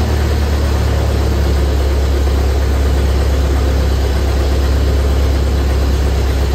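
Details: 1928 Ford Model A four-cylinder, revived after sitting a very long time, just started: deep, low, steady chug with even rhythm and no knocks or misses; idling smoothly.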